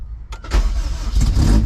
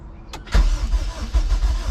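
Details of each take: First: Rebuilt junkyard K24A2 in a CRX, started after a temporary throttle cable was rigged to the throttle body. A few cranking turns, then it catches cleanly and revs crisply with throttle into a strong, even run; a normal start. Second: Rebuilt junkyard K24A2 engine in a CRX, first start with the injectors plugged in but no throttle cable connected. Steady starter churning with uneven firing pulses; the engine catches briefly but won't keep running.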